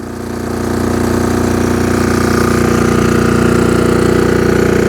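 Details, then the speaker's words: MEP-831A 3 kW military generator with a single-cylinder Yanmar L70 296cc diesel and a new governor controller, under a charge-burner load of about 50 A, 2800 W: a steady, even drone with no hunting. Running healthy. "now we're going to add the charge burner sounds great all right so right now we have 50 amps going in about 2 800 watts"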